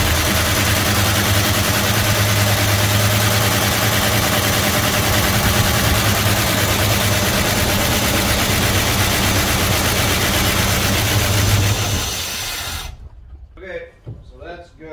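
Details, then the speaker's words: 1971 Dodge Coronet police car, 4-barrel 383 big block started after about 30 years of sitting, mechanical oil gauge fitted: a loud, lumpy V8 idles about twelve seconds, then sags and dies as oil pressure builds, the engine unable to take the load. "uh it just died when it built oil pressure so just as it was building pressure um the engine wouldn't under load and died"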